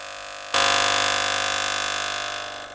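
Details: Gaggia Cubika espresso machine, element hot, bought secondhand: loud buzzing pump switches on, holds a steady tone then fades, delivering no water or steam; pump running with no output, not primed or blocked.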